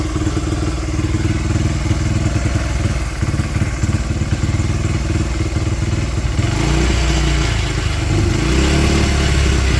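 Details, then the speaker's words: 2005 Honda CRF80F dirtbike, kickstarted, still cold: uneven, stumbling putt that won't settle into a steady beat, picking up toward the end; runs rough, carb rebuild planned, cause not confirmed. "I was able to get it started so yall can hear it. It is still cold. does not run the greatest, [Music] but she does run"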